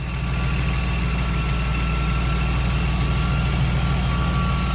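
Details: BMW after cooling system work with fan and reservoir refitted: steady, even low rumble at constant speed with no knocks, ticks or misses; smooth, healthy idle.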